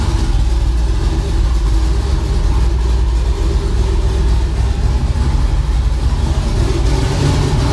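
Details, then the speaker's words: Twin-turbo LS V8 budget build idling right after swapping a no-name 2.5 bar MAP sensor for a genuine AC Delco (12592525), tune set for turbo and new sensor: deep, steady, even rumble with no hunting or misses; running way better, normal idle. "whoops it's running way better though I've got a little too aggressive with it"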